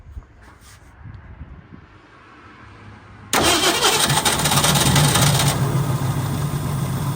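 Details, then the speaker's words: 1965 Ford Mustang V8 project car, restart after the carburetor rebuild: quiet cranking, then it catches and settles into a steady idle with a faint light tap; owner suspects a fussy lifter. "Just have a little tap going on. And hopefully we just have a lifter that's kind of fussing a little bit."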